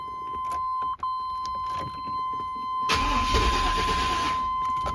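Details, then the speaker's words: 1995 GMC Z71 truck cranks steadily with even beat but never starts, after new starter, battery, positive cable and alternator cable; fuel pump confirmed running by jumping relay pins, so cause still unknown. "So, it didn't start. Okay, I'm just about there. But I do know I do know the fuel pump works cuz I can hear it."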